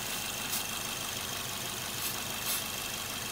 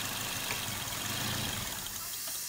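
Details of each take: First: Idling petrol engine with a lean bank 1 and P0102 MAF code; spray around injector bases gives short hissing bursts and the idle RPM shifts; vacuum leak suspected at one of two injector seals. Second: Petrol car running lean on bank 1 with code P0102 (MAF circuit low): with the MAF plug pulled, the engine idles roughly, stumbles and dies, showing the MAF sensor works; the lean cause lies elsewhere, such as an intake or vacuum leak.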